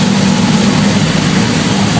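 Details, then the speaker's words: Freshly built Jon Kaase 520 CI Boss 429-style big-cam V8 on a 460 block, first dyno run; loud, deep, even rumble with no knocks or misses, pulling cleanly; engine running normally. "Oh man. Really good. This is shaking up the building. This is nice."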